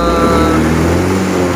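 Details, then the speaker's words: Honda Scoopy scooter with high fuel consumption, idling after faulty injector replaced with new one: steady, even idle with smooth low hum, no misses or rattles; back to normal. "ini dia ini baru normal kembali"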